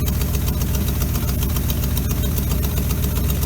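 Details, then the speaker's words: 1957 GMC 370 fire truck, original Pontiac 347, revived after sitting 20 years seized. Warming up to free stuck rings, carb needs a rebuild, steaming. Loud, low, even idle pulsing about four beats a second, holding idle on its own. Steady idle. "Well, it's getting better and better. Even idling on its own. So that's good."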